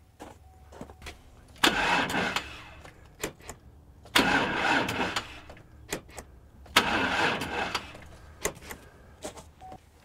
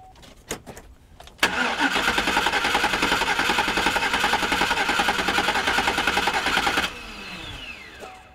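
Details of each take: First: Pickup engine cranking three times on a portable jump-starter battery pack: slow and labored each time, never catching; the cranking is compared between two jump packs of different capacity. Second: Pickup engine cranked with a portable jump starter pack: fast, even cranking about three and a half beats a second for over five seconds; strong normal cranking.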